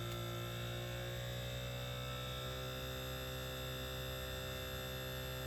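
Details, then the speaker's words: Mitsubishi mini split pumping down, refrigerant drawn into the condenser, suction pressure falling to about zero: steady low compressor hum with even tones and a slight pitch rise as the compressor revs up. Normal. "so now it's pretty much down to zero you can hear the compressor revving up a little bit"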